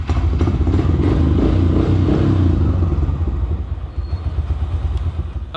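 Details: Single-cylinder carburetted engine after correct idle mixture screw adjustment: steady, even putter at brisk idle, no hunting or popping; carb properly set and healthy.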